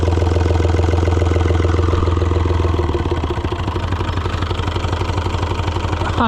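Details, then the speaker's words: Neglected Oliver 1250-A diesel tractor at first revival start: as idle sags very low, steady light clicking about three per second from the injection pump; idle adjustment suspected loose, engine low on coolant. "I can hear the injection pump clicking when it's that low."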